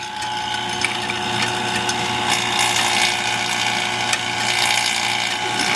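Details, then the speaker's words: Vacuum pump on a Ford Bronco AC system, with the gauge valves just closed: steady buzzing with ratchety mechanical chatter and a strained note; the pump labours against the closed valves before being switched off. "He's not liking that. I'm going to turn that guy off, and what I'm going to do is I'm going to go find something else to do for a little bit."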